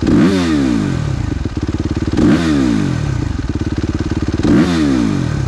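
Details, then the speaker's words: Suzuki RMZ with rebuilt Rekluse auto clutch and red springs (high stall speed), during a ride test: revs rise and fall with a fast metallic rattle each time the clutch engages or disengages, auto clutch engagement rattle. "Clutch makes a lot of noise when you're engaging. Kind of a lot of rattle there. Yeah, I'm not using the clutch at all, and I can hear it come out of engagement."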